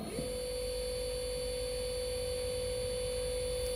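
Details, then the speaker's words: CNC router servo motor, T3D series driver HL-T3D-L20A-RABF, jog speed parameter 76 raised to 3000 RPM: steady even mid-pitched tone with no wobble, rattle or vibration on the table, very stable and quiet; normal servo motor running. "Olha a vibração do motor. Olha isso. Não treme, não tem nada de vibração. É muito, muito estável, tá? 3.000 RPMs. Muito estável, muito silencioso, tá?"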